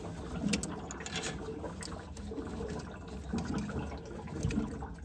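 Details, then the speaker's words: Lochinvar FTXL 400 boiler, replacing the faulty inlet water sensor behind a lockout: with the sensor out, irregular gurgling and soft bubbling bursts are heard as air enters the heating loop. "so if you hear that is the air coming into the system"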